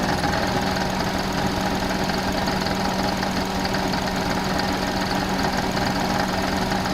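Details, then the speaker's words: Suzuki Alto at idle: steady continuous light rattle with thin whine, louder with rpm; alternator wobbling and not running true on a damaged lower mount, worse under load when air conditioning cycles. "looking at them images you can clearly see that the alternator is not running true and this is especially the case when it's under load or when that air conditioning is kicking on and off you can see it wobble in and out"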